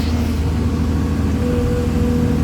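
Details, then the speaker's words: Excavator, nearly new at about 1000 hours: the diesel runs at 1700 rpm but falls below 1600 when the hydraulic lever is worked, and more than a 100 rpm drop is a fault. Steady low drone that sags under load. Cause was clogged diesel filters, fixed by replacing them. "1700 पे चल रही है ये, लेकिन जब ये liver लगाता है 1600 से भी नीचे जाते हैं।"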